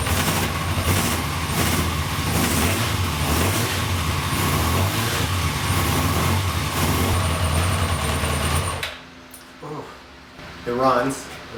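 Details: 1992 Yamaha XJ600 four-cylinder motorcycle, first start after sitting unridden since the pandemic and a carb clean: ragged, uneven idle with a stumbling beat for about nine seconds; the carbs are suspected to be badly out of sync.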